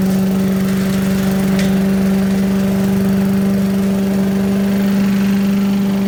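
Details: 1980s Billy Goat vacuum small engine running after turpentine-smelling fuel drained and fresh gas added, spark weak; steady, even drone, clean constant pitch, no misses or knocks; needs extra pulls to start, owner suspects low compression, but runs like a champ; normal running.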